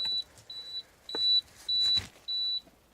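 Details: Trojan UV Max home water UV system plugged back in after UV bulb replacement to stop constant beeping every 2 seconds: five short high evenly spaced beeps over faint clicks, the normal power-up signal.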